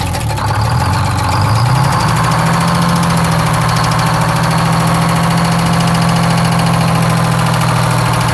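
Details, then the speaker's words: 6-71 two-stroke diesel (bus), run after checking the fuel supply and confirming the rack is free: it cranks, catches and rises quickly to an even, steady idle with no knocks or misses. Running healthy. "well there you have it boys and girls believe it or not another one just listen to this sweet sounding"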